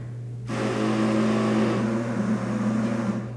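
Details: Yamaha V-Star 650 sat idle over winter with winterized gas: starter kicks with harsh grinding whir but doesn't turn the engine over, making a horrible noise; cause unknown, starter fails to crank engine.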